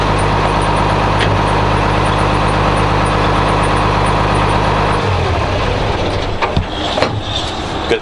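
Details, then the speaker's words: 856 diesel tractor at farm auction, takes all gears; even, steady diesel idle with smooth low rumble and no knocks or misses before settling down; normal idle. "tractor 856 runs sounds good takes all gears"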